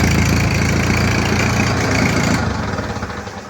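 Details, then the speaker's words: Old Oliver 60 tractor, running on clean fuel with lead additive: low, even chugging at about four beats a second, fading off smoothly; engine idling fine; owner later suspects a governor linkage problem. "so uh you can't hear it now but it's running okay we're gonna give it a test"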